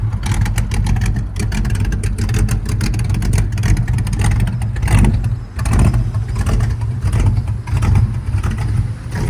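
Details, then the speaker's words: 1968 Ford Fairlane 500 Fastback automatic, sat eight years, first drive, engine running rich: revs climb and hang with no drop in pitch, so it stays in low gear. No upshift. "First ride with all the reps to the glass over there. No shift."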